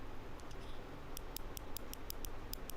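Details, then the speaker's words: Razer DeathAdder Elite mouse right-click switch: about ten crisp, light, even clicks over quiet room hiss, a healthy switch; owner says the left click by contrast feels dull and may not spring back, possibly worn. "There you go. So, that's the right click. The left click is super dull and I don't know if it's springing back or not."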